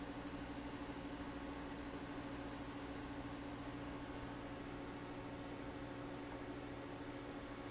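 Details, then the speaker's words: Off-grid solar system initial startup, Magnum inverter charging batteries from generator AC, current ramping to about 88–90 amps: steady low hum under an even airy rush as the cooling fan runs at load; normal fan operation. "all right it's ramping up the current right now you can hear it listen to that that's the fan"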